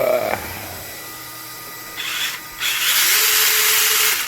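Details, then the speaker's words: Traxxas TRX4 Sport with Hobbywing AXE 3300kv sensored brushless 550 motor and 60A ESC on 2S, punch at 4: high whir climbing as wheels spin up, mostly gear noise, motor very quiet, no high-pitched whine; normal brushless run, faster than stock. "If you go faster, you'll hear it just like any other motor ESC setup, but you're really only hearing the gears. You're not hearing the motor. It's very quiet."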